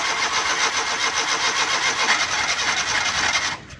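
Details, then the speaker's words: Suzuki Ravi/Bolan pickup cold morning start: starter spins the engine at an even rapid chug for over three seconds without firing, cranks but won't start; also backfires, fine once warm. "दोस्तों, अगर इस तरह स्टार्टिंग 5-7 सेल्फ लगाने के बाद भी स्टार्टिंग नहीं दे रही तो साथ बैक भी गाड़ी लगाती है।"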